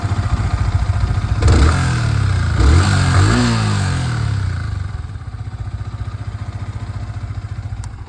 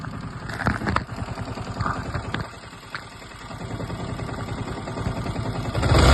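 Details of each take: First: Yamaha R15 V3 after one-way (starter) clutch repair: engine catches, revs twice, settles into an even steady idle with no knocking or grinding; the earlier noise is completely gone. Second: Yamaha R15 V3 single at idle: uneven rattling clatter about four knocks a second over the firing, sudden onset; timing chain, one-way clutch or rocker considered.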